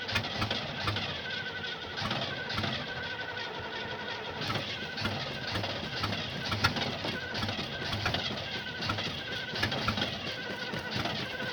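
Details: 1975 Oldsmobile that won't start: starter churns over in repeated bursts with a steady cranking beat, but the engine never catches; cause unknown.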